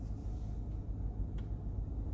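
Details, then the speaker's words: 1994–2004 Ford Mustang HVAC blower on low speed after replacing the faulty blower motor resistor: low, steady, even fan rumble with no surging, rattles or squeal; blower running normally, repair confirmed. "switch it to here you can see it running okay so it's running in low"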